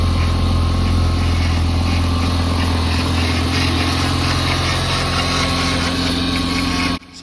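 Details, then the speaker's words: Audi RS2 during rebuild, cooling system just refilled, idling to get the coolant hot and bled, a couple of small coolant dribbles noted: steady even idle, smooth low drone, no knocks, ticks or misses; normal idle. "pretty good now. Giving it a bit of a run to get the coolant hot, get it all bled up."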